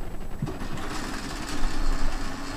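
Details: Cassette deck found in the trash, playing a tape: low rumbling clatter over a steady whir, so the tape transport runs noisily instead of quietly; it runs quiet only with the door open.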